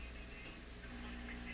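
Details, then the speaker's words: Classic Addison 5-tube radio: a steady low mains hum under faint hiss, traced to the volume control near where the power cord runs, a sensitive spot where hum gets introduced. "Aha. Sweet good night. It's exactly what's happening. The hum is coming because there's something going on here."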